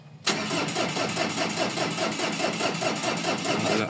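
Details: Mazda BT-50 pickup, WE 3.0 L DI turbo diesel with a history of hard starting: steady starter grinding with compression pulses about two per second and no catch; cranks but will not start. Check engine code read and cleared, cause not confirmed.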